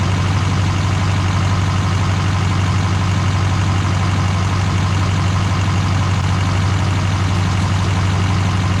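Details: GM LMM Duramax diesel truck after engine replacement and reassembly: even, deep diesel rumble steady at about two pulses a second, no knocks or misses; idling cleanly.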